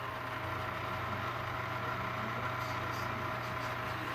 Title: Bad bearings and no more washing oil